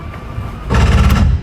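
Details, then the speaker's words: 2022 Jayco Jay Feather 27BHB travel trailer slide-out extending: a short deep grinding growl under a second as it reaches full extension, the normal sound of hitting its stop. "when you hear that little grinding noise you know you're fully extended"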